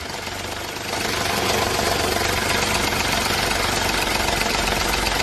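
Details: Ford EcoSport 1.5 manual gearbox, cold idle: uneven ticking rattle about four per second that stops when the clutch pedal is pressed and returns on release; points to the clutch release area, cause unconfirmed.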